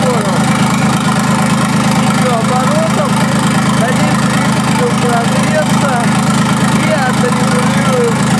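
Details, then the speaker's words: QC385 diesel engine on a 385RD diesel drive, first start after filling antifreeze and oil: steady even low thrum of about three beats a second, no knocks or misses; idling cleanly. "Запускаем двигатель. Включаем зажигание, открываем топливный клапан и заводим двигатель."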